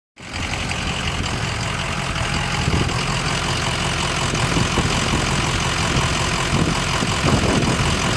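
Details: Ford 6.0 Powerstroke diesel at idle with a bad injector; loud idle with an uneven stumbling beat about four times a second instead of a smooth clatter.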